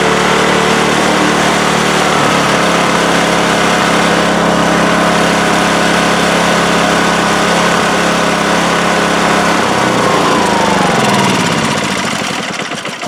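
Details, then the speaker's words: Craftsman snowblower after cleaning out a nest, lubricating drive chains and readjusting the shift handle screws: steady single-cylinder buzz stays even through all six forward and both reverse speeds, then winds down; normal running, fix confirmed. "we got all six forward speeds and all both two of the reverse speed"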